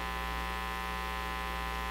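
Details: National HRO-60 communications receiver: a loud, constant low mains hum with a steady, unchanging pitch swamps everything and no signal gets through. The tap is on the phono leads.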